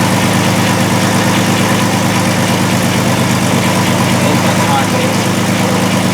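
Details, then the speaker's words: 2002 VW Jetta VR6 with P0262/P0206 injector circuit faults: rough idle with an uneven stumbling beat. A scope and amp clamp show a shorted injector on cylinder 1, leaving cylinders dead; a prior shop had replaced plugs, wires and coil. "what that waveform shows us is that we have a shorted injector on cylinder number one"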